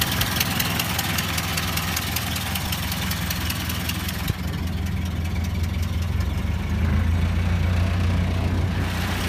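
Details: Ford Model A at slow idle: a pronounced regular tick-knock about 2.5 times a second, inaudible with the spark advanced or cylinder #4 shorted; a leaking exhaust manifold gasket, disintegrated at the rear, and a new gasket removed the noise.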